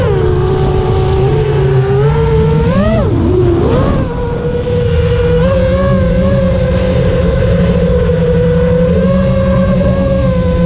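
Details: FR7 quad after tuning, with DMIN removed because it caused raspy motor noise, I-term relax cutoff 10 and RPM filter on: clean steady motor tone dips and swoops with a throttle change, then settles smooth; motors healthy.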